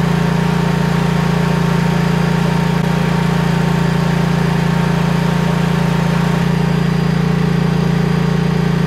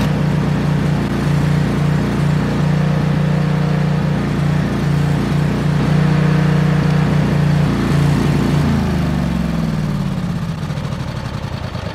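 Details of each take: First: Briggs & Stratton-engined Vanguard 10,000 W generator after repair of surging, smoking and no-start, suspected fuel supply, refilled with ethanol-free gas: smooth, even drone at constant speed with no hunting or surging; running steady. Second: Briggs & Stratton Vanguard 10,000 W generator engine running on ethanol-free gas: uneven pulsing drone, RPM bouncing up and down, then winding down at shutoff; surging, power head believed fine.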